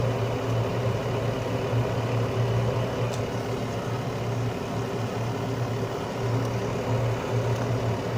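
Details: Carrier Infinity 96 (58MVB-080) direct-vent gas furnace on low stage, which it runs about 90% of the time, with outside combustion air and blower-on delay while the heat exchanger warms: low, even hum with a soft rush of air and no knocks or rattles; normal low-stage run.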